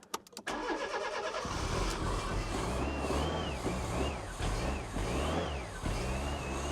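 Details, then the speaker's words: 1996 Fiat Cinquecento Sporting, 26,000 miles, abandoned seven years, with no working fuel pump: cranks and fires on starting spray, then rises and falls with clean throttle blips; it sounds mechanically sound and needs a new fuel pump. "Listen to that. Sounds sweet."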